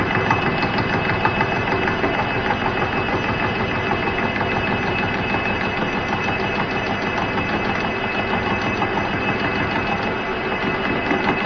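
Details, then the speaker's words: Cincinnati mill boring a welded DRO mount arm: continuous cutting hum with a thump about three times a second, once per turn as the hardened weld spot hits the springy boring bar; interrupted cut just before breaking through. "so yeah you can really hear the thumping as that hardened weld comes"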